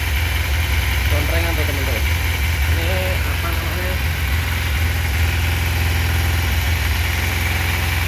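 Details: 2012 Kawasaki Ninja 250 carburetor Special Edition twin, 2,000 km, original engine: strong steady low throb at idle, no ticking, knocking or misfire; runs clean and even.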